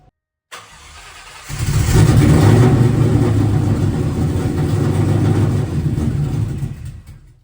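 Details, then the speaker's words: Cobra V8 first start in about two years, no exhaust fitted: cranking, then it catches into a loud, deep open-pipe rumble held steady for several seconds before shutdown; runs fine, oil change planned. "My knowledge, that is the first time this car has ran in like 2 years. So now that I know it runs, and it didn't sound horrible."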